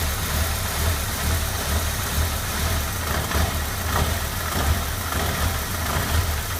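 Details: 1996 MGF 1.8 MPi: low idle that pulses and stumbles unevenly; rough idle persisted despite new intake gasket, IACV, rotor, cap and HT leads; cause was a vacuum pipe disconnected from the ECU, reconnected it ran perfectly.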